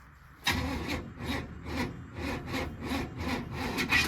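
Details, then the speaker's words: Cold carbureted engine with newly installed distributor, started with starting fluid: slow labored cranking, heavy chuffs about twice a second, engine half-catches and drags. Ignition timing set too far advanced. "Hold on. Got a little too much timing in that thing."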